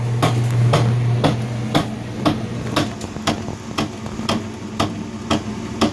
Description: Whirlpool LSB6400KQ1 washer (with cover off) has a knocking sound in low spin or high spin speeds. The lid switch is bypassed for this test. This turned out to be a bad transmission.